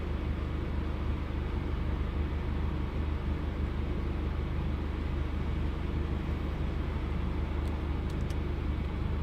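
Steady low engine drone with an uneven, loping pulse about three times a second, suggesting a cylinder dropping out at idle.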